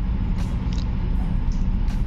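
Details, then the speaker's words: Ship's gym treadmill with E5 error, started with the drive motor removed for testing: a steady low hum with no spin-up, as the faulty motor is energised and straining but will not turn. "Dahil hirap yung motor, hindi umiikot. Ayan, trouble siya ng E5."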